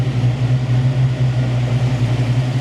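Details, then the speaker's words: Foxbody Mustang 5.0L, IAC and distributor plug disconnected, idle air screw bumped up after it wouldn't idle, warming up: steady raised hum holding about 1100–1200 rpm without settling down; high idle. "bumped up the idle screw um and now it's idling like 1100 1200 RPM"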